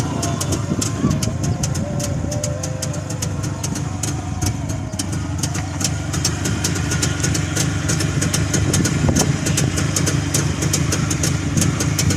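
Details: Freshly rebuilt Jawa 350 two-stroke, original sound: steady, light idle with a crisp ring-ding patter and slightly uneven beat, holding speed without stalling; normal healthy idle.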